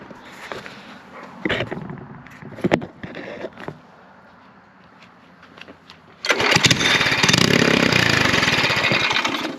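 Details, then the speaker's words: LO206 race engine fitted to a mini bike, carburetor float and slide recently unstuck and fuel pouring from the carb: several pulls, starts, runs rough briefly and dies; idles on choke but dies on throttle; cause unknown. "oh it died hold on so kind of uh still chasing uh getting it to run"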